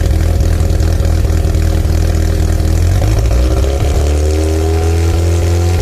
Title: rexysavannarx7 post cat delete idling, rev and misfiring - Mazda Rx7 Sa22C 13B Turbo 2